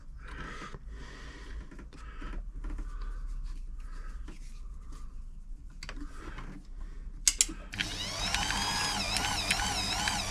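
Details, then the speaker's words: Frister & Rossmann 904 sewing machine after tightening a too-loose drive belt via pulley adjustment: spins up to even, steady whir with no slipping or chatter; can no longer be easily stopped by hand; drive healthy. "that's better I can't stop it anywhere near as easy I could really grab it and stop it but that's perfect"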